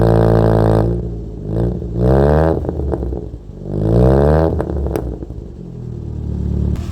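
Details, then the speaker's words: Toyota Corolla after distributor setting was changed while chasing high idle: revs surge and fall in uneven waves with a ragged clattery note and no power, undrivable; rough running from incorrect ignition timing. "you can hear that he doesn't have power he does not have power at all so I don't think it's drivable the way it is"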